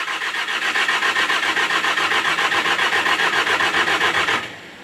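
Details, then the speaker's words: Skid steer S530 diesel, cold start in snow after new battery fitted (suspected electrical drain): steady cranking about four turns a second for over four seconds, no catch; owner thinks fuel pump needs priming. "right sounds like it needs prump to be primed a [Applause] bit"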